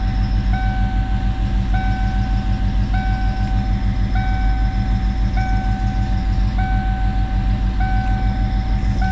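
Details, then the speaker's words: 1995 Ford Mustang GT at steady low idle: short high squeak repeating about every 1.25 seconds whenever the clutch is pushed in; owner suspects clutch cable issue (LDS mod), goes away with slight pedal pressure. "got a squeaking issue um and it happens whenever you push in the clutch"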